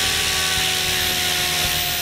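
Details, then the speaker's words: Goblin 500 electric helicopter, Castle Talon 90 ESC reprogrammed to Heli Fixed End Point mode: steady high motor whine with even rotor hum at constant lower speed in normal mode, spinning smoothly; problem fixed. "and it went down again let's go back up to idle up one and idle up two and back down"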